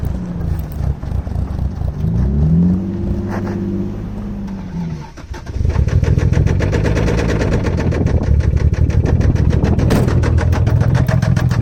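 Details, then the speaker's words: 1989 Toyota Supra revived after 8 years abandoned, hard to keep running with a vacuum line missing: it cranks, catches, then runs fast and uneven with a deep hard knock about three per second, a bad rod knock. "You can hear that rod knock. Pretty bad."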